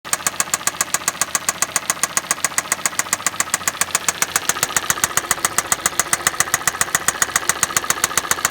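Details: Hyundai i40 2.0 petrol automatic at 60,000 km: sharp, crisp knocks about two and a half per second, perfectly regular at idle over a quiet hum; strange engine knock appeared, source undetermined.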